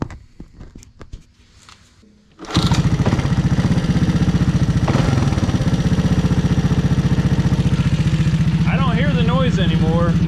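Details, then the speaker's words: Honda ATC 200S three-wheeler single after swapping in another bike's CDI to cure a top-end tapping tick: steady, even beat with only faint valve tap and no ticking; runs healthy, normal idle. "only noise I hear is the valves a little bit but I don't hear the noise at all I'm guessing that was it that is just crazy"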